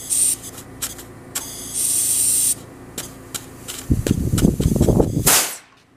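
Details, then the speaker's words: GE Monitor Top CA refrigerator float chamber, empty, with air injected from a hose: air hisses and rushes steadily through without shutting off. The worn needle valve seat is letting it bypass. "So if air comes through here, then the float is bypassing. You can hear that, it's bypassing."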